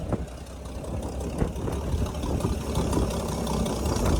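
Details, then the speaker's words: 1964 Chevrolet C60 grain truck with an inline 292 and four-speed, driven home: a low, even idle thrum with a steady beat and no knocking or ticking. Normal idle. "We made it back to the Rising Water Acres. She sounds good."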